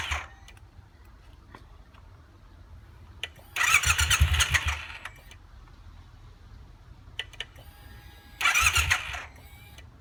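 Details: Triumph T120 motorcycle, no start: two short bursts of starter whirr with faint clicks while clutch lever and starter switch are manipulated, engine never fires; owner suspects clutch or starter switch sensor, unconfirmed.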